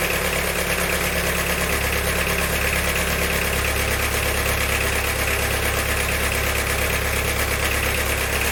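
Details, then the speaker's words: Diesel car after valve stem seal and head gasket repair with one camshaft bearing retaining bolt snapped, idling with a hard metallic knock about three per second; fuel system purged of air, so knocking injector doubted, internal damage suspected. "definitely sounds like metals running around in there but it is funny time for this graveyard i just bought the noise might be a knocking injector when we got a load of air i really doubt it because that sounded bad didn't it"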